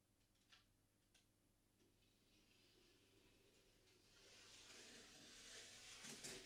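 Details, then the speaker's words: Class 68 model locomotive during repair, tested with only one set of pickups: faint smooth high motor whir rising with speed; the knocking noise is gone. "and as predicted the knocking noise is gone obviously it don't run that well with only one set of pickups but it proves the point"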